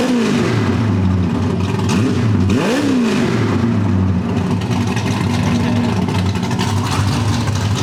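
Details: Freshly built supercharged small-block V8 on first start after new engine install, header wrap burning off: loud, lumpy idle, then one sharp blip that rises and falls back cleanly with no stumble; healthy normal revving.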